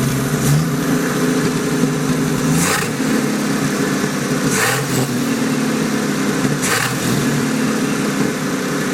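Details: Turbocharged 250 just fired after rebuilding its turbo with a budget eBay kit: engine speed swells and falls every couple of seconds with brief rushes; idle still hunting but settling, owner says it had been very unstable.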